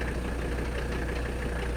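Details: 1985 Mercedes 300D diesel, daily driven about 300 miles a week, idling with AC on: steady, even low rumble with light injector clatter and fan hum behind; engine sounds healthy.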